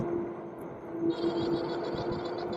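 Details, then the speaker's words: Vetanya Bison 750W hub-motor fat-tire class 3 e-bike, 20x4 tires, riding: thin steady whine over rolling and wind noise; motor controller whine, not the tires. "Yeah, it's the controller making that noise, not the tires."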